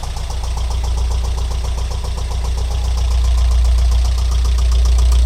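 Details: Alfa Romeo 166 2.0 TS idling: steady, even knock about four per second, growing slightly louder, appearing after head gasket replacement; tappet buckets ruled out, variator checked; stethoscope places it on the right side near cylinders 3–4, source unconfirmed.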